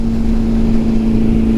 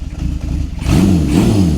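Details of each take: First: Honda CB750, a 750 cc four-cylinder with four carburetors and 67 hp, cruising: an even, steady hum at constant pitch under road and wind rush, with no knocks or misses. The engine runs smoothly. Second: Honda CB750 four-cylinder, four carburetors, cold start on choke: uneven idle then blipped revs rising and sagging, only running with throttle held; rough cold running needing revs, cause unconfirmed.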